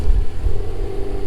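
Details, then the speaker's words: Subaru GC8 with JDM EJ205 turbo engine and home-built external wastegate, back together after a week, running: deep even rumble with steady hum on top, no misses, knocks or stumbles; runs smoothly. "Let's give it a start, show you guys it runs good, and then we'll end it off."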